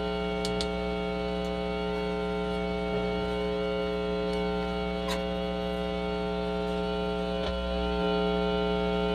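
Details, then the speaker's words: Mains hum from a DV DB Audio Umac 1522 BT amplifier's speaker, loud and steady even while music plays; missing board-to-chassis ground. "so kahit tumutugtog yan magha-hamming yan kahit may tugtog."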